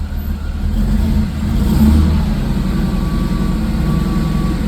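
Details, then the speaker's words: Mercedes-AMG supercharged V6 on first startup after upgrades (82mm throttle body, 550cc injectors, 175mm crank pulley, 65mm supercharger pulley, intake): revs hang after a light throttle blip instead of dropping to idle, then come back down; cause not yet known. "RPMs are hanging. I'm gonna turn it off. Okay, it's coming back down."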